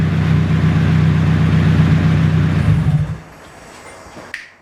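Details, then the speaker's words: Nissan 240SX first start after two years and a full rebuild, makeshift heater-hose fix fitted: loud, raspy but steady engine note with even firing, then shuts off; runs smoothly with no misses or knocks. "Alright, that thing runs like a sewing machine. A very, very loud, raspy sewing machine."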